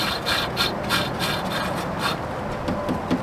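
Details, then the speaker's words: Suburban RV furnace not heating, fan turned slowly by hand: dry, uneven scraping rub on each push, blower wheel dragging on something; suspected obstruction such as a bees nest in the housing, not confirmed. "I can spin it but you can tell it's rubbing on something"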